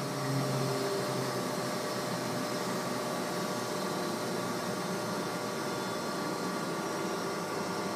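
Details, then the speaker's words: Close-coupled centrifugal water pump slowed by a Flux Drive adjustable speed drive to reduce flow: steady, even hum with a smooth flow rush and no crackling or gravel; runs quietly without cavitation. "listen as the flux Drive slows the pump down to reduce the flow rate"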